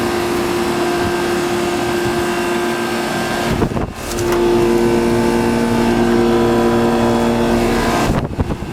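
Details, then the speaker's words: Two identical 2002 2-ton Comfortmaker 10 dual-zone AC condensers with reciprocating compressors, 88°F and humid, in rain, heard from about 20 feet: steady even hum with constant tones and a brief dip, quiet and healthy running. "Yeah, they're pretty quiet. I'm about 20 feet from them now, and they're very quiet."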